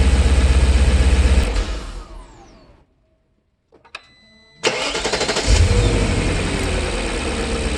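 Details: BMW E39 showing a cylinder 2 misfire code after bank 2 cam position sensor and MAF replacement, before the fix: engine shuts off, restarts, then idles with an uneven lumpy pulse about four a second.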